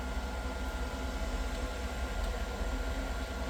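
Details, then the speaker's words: Homemade waste oil heater at about 600 degrees with airspeed turned up; deep steady growling roar with low rumble and faint hiss, burner running strong and happy as temperature climbs. "And you can hear it. It almost makes a growl when it's running happy."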